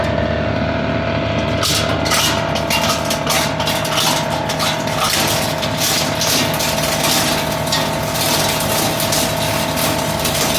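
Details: High-speed plastic shredder/granulator shredding recycled HDPE (RHDPE): steady motor hum with rapid irregular clatter of plastic chunks being chopped after the first second; normal shredding.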